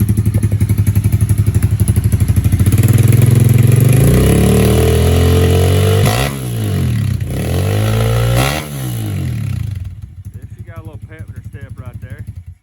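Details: 1997 Honda XR70 with a 140cc engine swap, kick-started outside and warming up: steady single-cylinder putter about four beats a second, rising cleanly on each throttle blip and settling back; normal running and revving.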